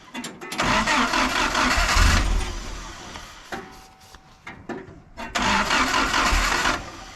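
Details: 1953 Willys CJ3B stored for years, with fuel pressure present but very dirty 2-year-old 10% ethanol fuel and the choke possibly off. Two long bursts of steady cranking, about three turns a second, never catch.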